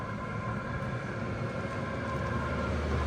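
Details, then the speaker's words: Chinese diesel heater after E-10 error repair, running on power level 10 to clean it out: steady rushing fan roar drawing clean air over even combustion rumble, no pulsing or sputter; normal full-power running. "I've got it on power level 10 because I am literally trying to clean this thing out, and obviously you can hear it drawing in the clean air."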